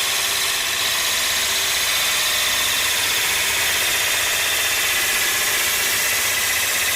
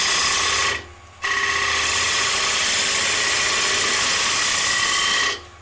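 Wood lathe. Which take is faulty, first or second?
second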